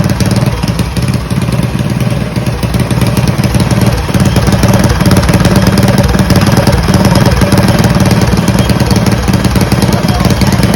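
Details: Mega Moto 212 mini bike, modified Predator Hemi with Mikuni carburetor, after idle tuning: single-cylinder popping along at fairly steady idle, slight unevenness but no knocks or misses; running normally.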